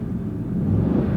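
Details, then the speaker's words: Ford F-150 with over 350,000 miles that had been running rich on bank 2, with long-term fuel trim improving from -20 to about -17. Revved, it gives a brief low rumble building evenly with no stumble or miss, and sounds a lot better. "it certainly sounds a lot better."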